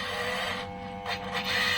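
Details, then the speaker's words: Toyosaki voltage stabilizer whose output surges high: steady buzzing hum with a raspy edge and uneven surges from the unit. This is likely the reported strange noise, and the stabilizer is not working properly; cause unclear. "Nah mungkin yang dimaksud teman saya itu seperti itu ada suara aneh jadi si stabilizer ini nampaknya tidak berfungsi sebagaimana mestinya ya"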